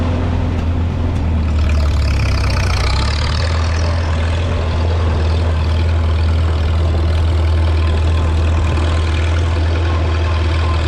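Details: 1952 Farmall Super C tractor after distributor work (rotor prong bent up; owner unsure if stuck mechanical advance caused the miss): deep, steady low thump at idle with even beat, no misses or knocks, smooth and healthy.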